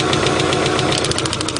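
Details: 1990 Subaru Legacy, first start after sitting 2 years with missing parts replaced: uneven, lumpy, loping idle with tapping on top, sounds like running on three cylinders; plug wires pulled one at a time, cause not pinned down: rough idle.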